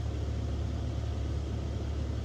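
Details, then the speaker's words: EV after DC/DC converter replacement and coolant purge in service mode, PTC cabin blower check: steady even rushing hum at constant speed, no rattle, whine or scraping; blower now blowing, not before, normal. "I want to see PTC blower. Check. Oh. Oh, don't tell me. Come on, come on, come on, come on, come on. Let me see. I hear it. It wasn't blowing out before."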